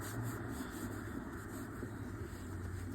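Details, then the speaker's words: 2012 Audi S4 (B8) with DSG 0B5 gearbox, front differential turned slowly by hand: faint, dry, rough grinding from a worn differential bearing, very loud in the car at 100 km/h; bearing to be replaced. "You can hear it's grinding a little bit. Not that loud, but at 100 kilometers it was like really loud."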